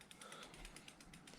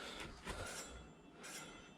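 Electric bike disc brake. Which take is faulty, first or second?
second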